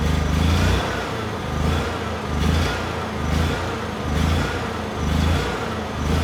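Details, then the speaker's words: Honda EU6500is generator with light plugged in, eco switch off, about half tank: engine starts and makes power but speed surges up and down about once a second; suspected fuel or spark problem, stalls after short running. "So I think you can see the problem here. Although the generator is making power and the engine actually sounds very good, the engine speed is very unstable. So either it is a fuel problem or potentially a spark problem."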